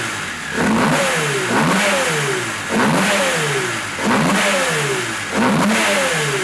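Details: Rebuilt 1400cc A-series race engine, offset ground crank, big-valve ported head with roller rockers, raised compression: crisp repeated throttle blips about once a second, clean, no misfire or rattle; sounds good, idle richened for leanness.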